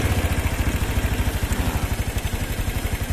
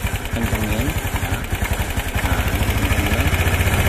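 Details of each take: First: Single-cylinder motorcycle after service, carburetor mixture screw set to highest idle then idle throttle lowered: steady, even putter at about nine beats a second with no stumble or hunting; clean, settled idle. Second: Single-cylinder motorcycle carburetor adjustment after service: uneven putter firming up and quickening as the mixture screw is turned with a screwdriver until idle is highest, before lowering the idle via the throttle screw.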